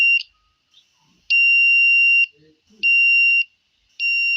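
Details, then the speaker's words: 555 timer in astable mode with 10 µF capacitor, 100 kΩ and 1 kΩ resistors, battery-powered, driving a buzzer: clean high-pitched beeps switching on and off about every 1.5 s as the capacitor charges and discharges; normal intermittent beeping. "just the basic principle of 5 timer in an unstable mode to build and cause a buzzer to buzz intermittently."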